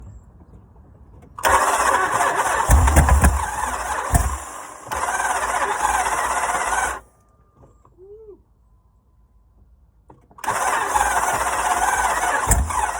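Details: Jeep Grand Cherokee 5.7L V8 Hemi described as hydrolocked, rod knocking, mud-contaminated oil and cracked: three bursts of rough uneven starter cranking, never catching; cranks but fails to start.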